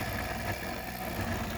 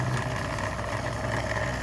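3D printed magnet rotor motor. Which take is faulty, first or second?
second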